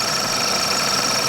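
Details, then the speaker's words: Engine running, acoustic camera pinpointing noise: steady high hiss with a thin howling tone around the high pressure fuel pipe, with the high pressure pump also a bit noisy; high pressure fuel line noise. "If we go to single source down here, you can see that around that high pressure pipe is where that noise is being picked up the"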